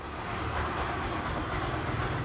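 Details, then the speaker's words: Yamaha YTX 125 single, cold start after 10 days parked with fuel cock off, carburetor well tuned: catches right away on key start and settles into a steady, even idle with no knocks or rattles; healthy cold start. "Switch on and then start. Very good. Umandar ka agad,"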